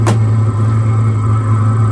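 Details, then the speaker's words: 2025 Vevor diesel heater, new, warmed up with the thermostat set to 78°F and air coming out at 78°F: smooth, even low hum with no surges or misfires, settled at its regulated running speed. "It sounds like it it just hit like it just regulated. It just hit cruise control. That's where it wants to be."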